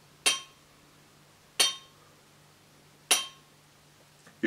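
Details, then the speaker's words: Used crankshaft checked by holding the connecting rod and tapping its top: three light taps each ring out bright and metallic, about one every 1.5 s, indicating worn big-end bearing play. "Das ist eher so ein metallisches Klingen. Also das hört sich eher heller an. Ja, ist eher heller."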